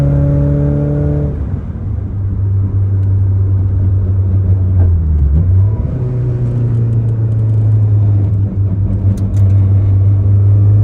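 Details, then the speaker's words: Toyota AE86 Corolla after swapping the rattly short shifter back to a rebuilt stock shifter, driving: steady engine drone through a gear change and cruising, no buzz or rattle from the lever; quiet shifter. "great no rattle at all I can really enjoy the Driving [Music] Experience"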